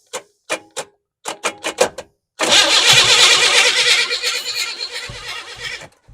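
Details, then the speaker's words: 1988 Chevy S10 Blazer on its first start attempt after sitting abandoned: a few short starter bumps, then a few seconds of fast cranking that doesn't fire; the starter is sticking. "the starter sticking so I'm just going to touch this by way of you k"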